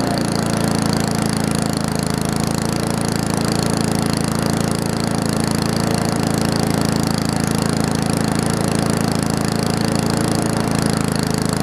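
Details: Old Murray push mower with small wheels and Briggs & Stratton Classic engine, rebuilt from parts: steady even engine note with smooth regular beat, no misses or knocks; normal running.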